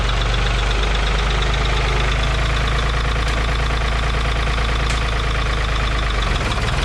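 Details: 1985 Ford 545A 3-cylinder diesel tractor loader backhoe, first cold start after rebuilt injector pump installed and bled: low, even clatter holding steady idle, no misses, surging or knocks; runs good, though hydraulic pump is really slow.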